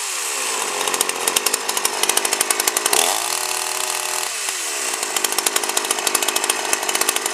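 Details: 52cc GIO chainsaw (bar near 20in), first run: screams at full throttle with a rapid uneven pulsing burble under the whine, not clearing cleanly up top. Owner suspects it runs rich, fuel probably mixed rich.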